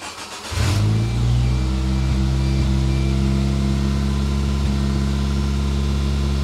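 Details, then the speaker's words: 1993 Geo Tracker, previously non-starting, start after cleaning fuel injectors with carb cleaner: cranks, catches and settles into low idle with a couple of faint hiccups; slight stumble, cause unknown, owner thinks timing is right on. Engine stumble after start. "she stumbled a little bit didn't she yeah that was um something new so if you are a Suzuki expert let me know"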